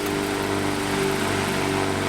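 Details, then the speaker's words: 1923 16" GE AOU loop-handle fan after restoration and rewiring, running on medium speed: steady, even motor hum with a smooth airy whoosh, no ticking or rubbing; runs cleanly. "Little vibration. It's not too bad though. Now if I hold this in position, not too bad. Not too bad at all."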